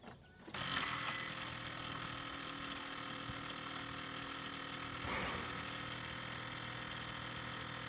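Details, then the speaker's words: 6.0 Powerstroke that runs rough, at key-on: a steady rapid ticking hum of about four beats a second from the vacuum pump, with no injector pre-cycle heard, which leads toward the FICM. "That noise right now is a vacuum pump. I'm going to unplug the vacuum pump so that we can tell the difference between what the vacuum pump sounds like in the pickup."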